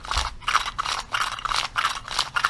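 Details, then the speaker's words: Modified Chinese 80cc motorized-bicycle recoil pull starter pulling normally: quick rattling ratchet bursts, about three a second, with a light dry grind said to be normal and nothing binding. "though you still hear a little bit of grinding but that's normal"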